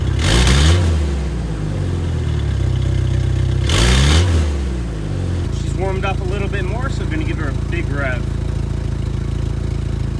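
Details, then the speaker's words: Jeep Wrangler TJ 2.5L, muffler corroded by winter, loose and broken off at outlet, before replacement; two hard revs give loud raspy blatting roar back to coarse rumbling idle; exhaust leak. "the whole muffler is corroded and broke off at the back of the muffler so we're gonna turn it on and see what it sounds like"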